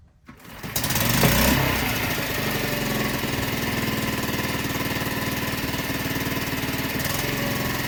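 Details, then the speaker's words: Mercury 5 hp outboard in a water bucket after repair, tested in gear, not run to full revs: quick start, then a steady, even, slow idle with a regular beat and no misfires; selects gears perfectly, normal running. "So, at this point, I'm delighted by the way it runs. I never got up to full revs, but I don't see any issue with that cuz it's idling slow. It's selecting gears perfectly."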